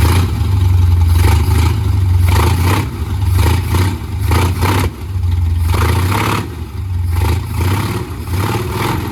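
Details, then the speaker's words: 1982 Mercury Capri small-block Ford with a new air-gap intake, distributor reinstalled after the engine had been out of time, maybe a tooth or two; deep V8 burble with throttle blips, firing evenly, carburetor puttering gone. "I stuck the distributor back in it, and it fired right up and it ran good, and that puttering and the carburetor finally went away."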